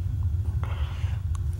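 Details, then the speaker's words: Propane gas water heater that would not light: steady, low, soft burner roar without popping or sputter, running normally after a crusty bad connection was moved and it fired. "It was a bad connection because I moved these around and she fired."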